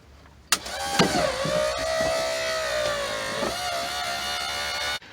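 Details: 1995 Ford Mustang GT convertible top hydraulic pump motor, ignition on and e-brake applied, after a motor rebuild: steady electric whine that dips slightly under load, then stops cleanly; the motor runs strong and smooth.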